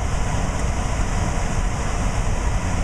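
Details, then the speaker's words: Trane air handler variable-speed blower motor, driven from a Trane test circuit board on cooling stage 2 (high speed), blower door off, readings jumping with exposure: steady, heavy, low roar with no rubbing, ticking or bearing whine. Normal operation. "so I can go up and one more and go to cooling too which is high-speed on cooling you you should hear this motor start to ramp up as you can hear it it's starting to speed up and is doing 700 rpm and it says fourteen hundred CFM 800 rpm"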